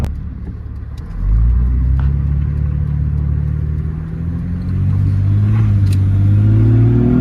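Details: 2004 Jeep Grand Cherokee 4.0 inline-six with THOR cold air intake, after a new Flowmaster muffler and tailpipe replaced the rusted-off tailpipe: deep, smooth rumble climbing cleanly on revs and dropping back to even idle, no rattles; normal exhaust note.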